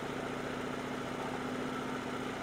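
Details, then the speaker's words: Portable generator with a newly replaced carburetor, smoking from old gas, warming up on partial choke: an uneven, popping, lumpy idle that stumbles before the choke is taken off; rough running on partial choke. "So, you can see it's it's popping and carrying on right now. the the smoke. That's an old gas. So, we're slowly going to take it off a start or choke as it warms up."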